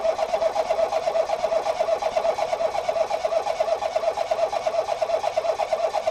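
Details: 2018 Ford Focus SE parts car with suspected water in a cylinder, plugs refitted after clearing fuel-smelling fluid; steady starter whir rising and falling about three times a second, never catching; owner suspects a drained battery; engine-fault service message shown.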